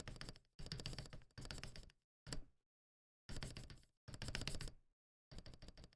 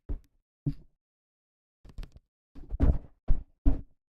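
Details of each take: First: Akko ACR Pro 68 keyboard, freshly assembled with lubed switches, not yet tuned, no case dampening foam: rapid key presses give hollow, chattery rattling clack, spacebar especially hollow. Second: Akko ACR Pro 68 keyboard, spacebar filled with foam: seven presses, each a short dull deep thock with no rattle or hollow chatter; clean, solid spacebar.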